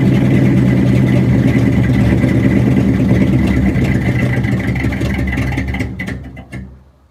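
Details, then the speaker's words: 1967 Ford F250 crewcab after tank cleaning and new fuel hose and filter, about 70 degrees out: runs lumpy and uneven, then sags and dies as if out of fuel; owner suspects rust clogging or the fuel-line loop restricting flow. Rough running then stall. "Alright, so similar problem to yesterday, but not quite as bad. So I'm wondering if I take that loop out of the fuel line, if that'll help out with it. It's just not flowing fast enough while going uphill and around the frame and everything."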